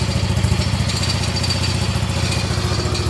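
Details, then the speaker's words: Quad that quit on the trail a year ago, with Marvel Mystery Oil in the tank, a repaired exhaust and visible smoke: a low, lumpy idle with uneven thumps and a wavering speed; the owner says the carburetor needs cleaning. "Yeah, it needs a carb clean. Making that sound last year. But yeah, I know, the carb needs to be cleaned, kiddo, but at least it fires up."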